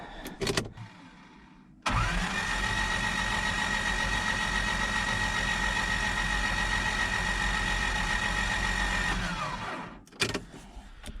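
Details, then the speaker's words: 1997 Toyota Tacoma 2RZ-FE after new timing chain, guides and gears: starter cranking engine with spark plugs removed and disconnected, steady even whir without firing, priming oil until the oil pressure light goes off. "Set the cover on there temporarily, and then we'll wind her over with plugs removed and disconnected."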